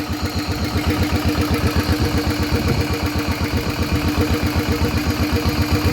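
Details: Rebuilt Thai RT single engine with cam, run at low rpm to test pull: even, strong thumping about four beats a second, steady rhythm; runs smoothly and healthy.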